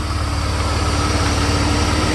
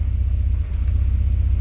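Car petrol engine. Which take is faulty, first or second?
second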